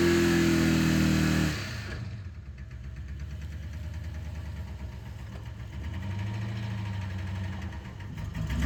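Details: Ford Explorer 5.0 V8 revs, then idles with a steady deep knock under the exhaust. Rod knock is suspected, not confirmed.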